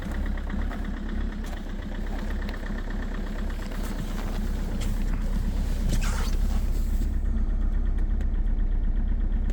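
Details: Engine cold start at -16°C: rough, loud run with a very strong, fast uneven knock near three beats a second; knocking while cold, cause unclear.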